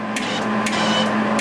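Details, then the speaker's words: MIG welder with the wire fed against wood to test drive roll tension: steady feed motor hum with a sharp tick about every half second as the wire slips; tension far too low. "it's kind of going but it's kind of slippy see that it's slippy that's telling me right off the bat I don't have nearly enough tension"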